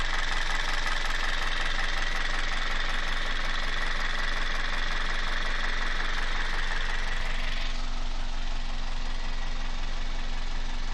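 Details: Toyota 1ZZ-FE engine at steady idle: regular light knock about four per second tied to engine speed over a low hum; internal knock, source undetermined.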